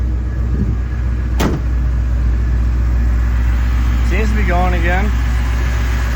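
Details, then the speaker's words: Ford 5.4 two-valve V8 pickup at a steady, even idle with a smooth low rumble and no stumble, back on all eight after a misfire from a dead coil and a fouled spark plug. "Oh yeah. Just like that, she's back on all eight."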